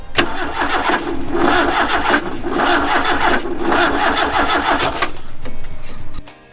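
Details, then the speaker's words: Fire-damaged car being restarted on an ECU: steady cranking whirr with even pulses for about five seconds, never catches; trigger-wheel voltage threshold set too high so ECU wasn't reading triggers. "basically the reason we couldn't get it in time before was a trigger threshold for the voltage on the trigger wheel which was too high so it wasn't reading triggers"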